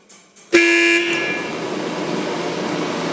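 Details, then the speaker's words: Burner of a 665 kg/h steam boiler at start-up, with gas on and water levels shown empty. A click, then the burner fan starts and settles to a steady, even whirring hum as it returns to initial position; normal. "Donc là, on entend le brûleur, le ventilateur du brûleur qui démarre, donc c'est normal."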